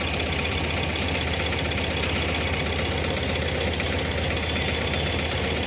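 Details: Tata Ace Gold diesel, after fixing a cut alternator (dynamo) wire and bypassing the clutch switch: even idle with a steady low throb and clatter, no misses or surges; normal idle.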